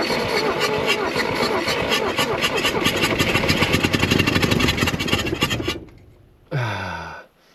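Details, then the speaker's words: 1964–67 Toyota Stout pickup, 3R four-cylinder, sitting since 1984, no original carburetor, after fixing coil wire grounding to fender: fires and runs about six seconds with fast steady beat, then cuts out; catches but won't keep running. "Didn't even have to rev it that time. She wants to run."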